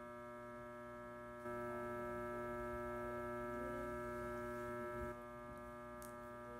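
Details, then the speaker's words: Fluorescent lights in a doctor's office: constant loud electrical buzz with a stack of steady tones from mains hum upward, swelling louder midway. "I'm sitting in the pain management office, and I don't know if you can hear the noise. It's a loud buzzing noise that's coming from the lights."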